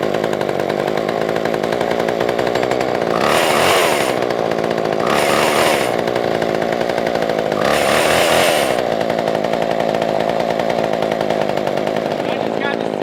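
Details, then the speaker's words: Poulan 2000 chainsaw, long unused with no start, after carburetor cleaning and fuel line trimming; steady buzzing idle with three clean, quick rev-ups returning cleanly to idle; runs and idles properly. "man so you guys can still hear it running in the background i'm gonna let it sit out there for probably about 10-15 minutes just kind of idling go out there rev it up every now and then"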